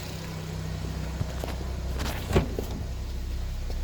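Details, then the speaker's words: Nissan Y12 Wingroad after full engine service (throttle body, airflow sensor, EGR valve, housing and tubing, VVT and VVT filter, 4 injectors, intake valves cleaned; new Denso fitted), parts remounted; low steady even idle with light clicks, healthy; check light still to scan. "Alright, so the Y12 running there, all the parts mount up."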